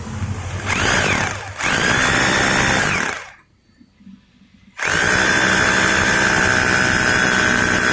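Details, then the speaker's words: Maktec MT870 rotary hammer after repair of a no-hammer fault, drilling concrete with an SDS bit: strong, even hammering over a steady high motor whine with a brief pause, so the hammer action is working again. "if now it can vibrate or there is already a kick and sound It seems it's rough or already drilled ."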